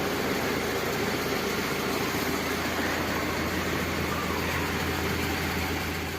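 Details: Daihatsu Zebra Espass, carburetted engine idling with aftermarket (KW) electric fuel pump nearly 2 years old, wired to coil resistor without relay: steady, even idle, smooth low hum, no knocks, misses or whine; pump somewhat loud but healthy.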